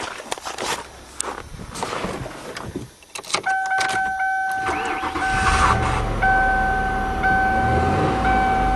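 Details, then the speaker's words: 1997 Lincoln Continental V8 idling smoothly with a dashboard chime after repairing a burnt spark plug wire that caused a one-cylinder misfire; the puffy, thumpy sound is gone. "oh that sounds better already no more little puffy sound"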